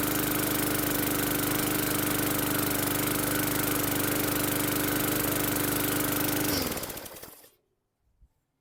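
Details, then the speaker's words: 2017 Bolens lawn mower (model 11A-020W765), bought non-running, primed and started first pull: small single-cylinder engine runs steady and even at a fast regular beat, then shuts off cleanly; running properly. "So started first pull, little cough and spit, but it finally did what it should. So good deal on that."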